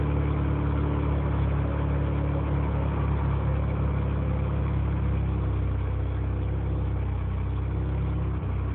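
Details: Mazda RX-7 with 20B rotary engine: low uneven lumpy idle, pulses wandering rather than steady; engine idles roughly, cause unknown.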